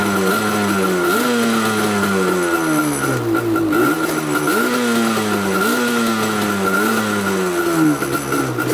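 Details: Banshee two-stroke twin, rarely ridden, after a fuel tank cleanout: on choke it blips up and falls back raggedly with uneven popping and no crisp rev, as one cylinder misfires. Owner suspects a fouled spark plug.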